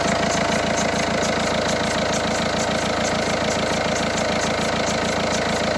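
Cold diesel idle with an even clatter, a steady mid-pitched whine and a faint tick about twice a second. Cause suspected, not confirmed.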